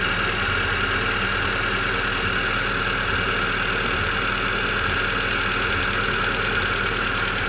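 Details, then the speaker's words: Hyundai Getz after engine rebuild, coolant filled and air being bled out: even steady idle hum, no misses, surges or knocking; owner says no misfire and it purrs, no longer running on two cylinders. "That car is idling very very nicely. There's no misfire. She's pairing like a kitten."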